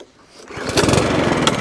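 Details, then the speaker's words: 2017 HP hand-propelled 185 lawn mower, shaky with suspected bent crank: catches on pull, runs ragged about a second then dies, pointing to a carburetor fault. "That's all I need to hear. That's all I need to hear. That tells me carburetor."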